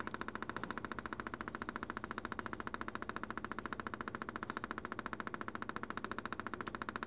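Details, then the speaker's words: 1983 Mercedes 300D after dual-tank vegetable oil conversion, engine off, valve set to diesel: electric pump ticks rapidly and evenly at about three and a half clicks per second, pumping diesel normally. "I'm going to turn this pump on and let's see if it pumps diesel."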